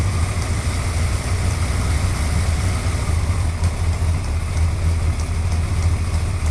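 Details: Suzuki GSXR 1100 motorcycle at steady idle with a light, irregular high tick over the exhaust note; top-end engine tick, cause not yet pinned down.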